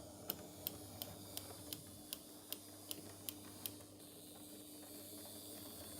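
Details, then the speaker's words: Mystery-maker HO scale Prussian T3 0-6-0 tank engine on test track with H&M controller, running forward: light sharp ticks about every third of a second over a quiet motor hum, absent in reverse; suspected valve gear catching. Ticking while running forward. "There is a bit of a ticking noise that you can hear when it goes in the forward direction, but it doesn't happen when it goes in reverse. It's obviously something on the valve gear that's catching or something like that"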